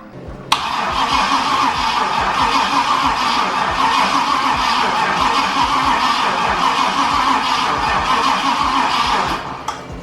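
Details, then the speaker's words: Cadillac with LS-swapped 6.0 V8 (oil pressure also unverified): starter cranks steadily about three turns a second for ten seconds, never catches; no spark, checking main red wire voltage drop while cranking. "all right so right now what we're gonna do since it's not getting spark we're going to check this main red wire to see if it's losing voltage while cranking"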